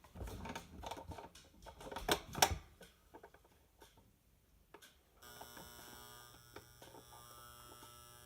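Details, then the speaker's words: Modified Presto Poplite popcorn popper used as coffee roaster with dimmers for fan and heating coil; after handling clicks, faint steady hum and thin whine as coil heats, normal. "can kind of hear the whine of the coil heating up so I can control it with these knobs it's great I love it"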